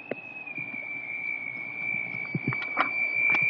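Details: Holland Pools pool equipment makes a steady high-pitched squeal with scattered knocks and handling noise beneath. The exact source near the equipment is uncertain.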